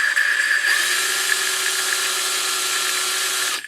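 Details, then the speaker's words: 1974 Honda XL70 cylinder head, lapping a valve with a drill; steady high whine with even fine lapping hiss, no catching, getting really smooth with no friction; smooth valve lapping. "you can kind of hear when it gets really smooth"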